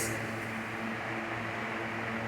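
A steady, even motor hum with a soft airy hiss: the fan runs smoothly with no rattle or noise.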